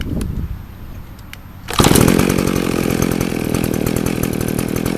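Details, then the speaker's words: Circa-1980 McCulloch 610 24-inch two-stroke chainsaw, carburetor rebuilt a couple years ago, new fuel line, 20:1 mix, stale gummed fuel made starting hard; once warmed up it settles into a steady, even idle with no stumbling or surging: normal idle. "That's just on idle, so now that it's been running, it's cool."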